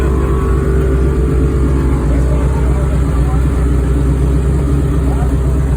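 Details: 1969 Chevy Impala being revved: a heavy, deep engine roar with a rough, chuffing edge under throttle, pointing to an exhaust leak.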